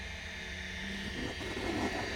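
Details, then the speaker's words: Convergent Technologies AWS hard drive running: even, quiet spin with a steady high whine and soft seek rustle, no clicks or scraping; normal healthy drive, quieter than a Maxtor XT 219. "that is exactly what these things are supposed to sound like nice and quiet relatively to uh the maxter XT 219 that I work with on a regular basis"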